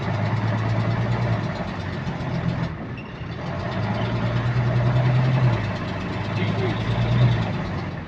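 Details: Bus GAL WVL358 on route 486: diesel drone with a light, fairly quick ticking, about three or four a second, in sync with engine speed; repetitive clicking, source not pinned down.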